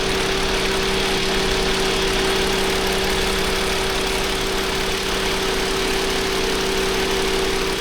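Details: 2021 Toyota Avalon, automatic, idling with P0306 and traction and engine lights on, strong engine vibration: uneven loping idle under a steady whine, about three stumbles a second, a cylinder 6 misfire from a clogged fuel injector.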